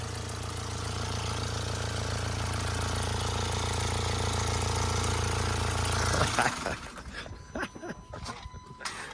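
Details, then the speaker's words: Jaguar XE after a no-crank, no-start fault traced to a broken ground strap: on start-up it settles into a steady idle with a faint light rattle underneath. "But it did start. I don't like the sound of it, but it's not so bad."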